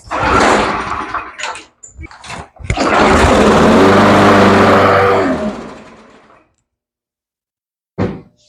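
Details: Troy-Bilt mower with old-style Briggs 550 engine, after cleaning the plastic carburetor and fitting a new diaphragm: a few short pulls, then it catches and runs steady and even before shutting off; starts and runs fine.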